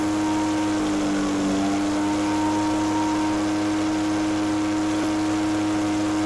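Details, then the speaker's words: Echo PB413H two-stroke backpack blower with aftermarket carburetor and NGK plug, wide open throttle after leaning the high-speed screw: steady high wail with faint waver at about 6400 rpm (6400–6600 recommended); mixture about right. "okay by turning it in the high screw leaning the 2600 was good at idle it's 6400 to 6600 recommended high speed I don't want to go any more lean with the high speed I don't like running lean lean there's still some more adjustment in it so I'm at 6400"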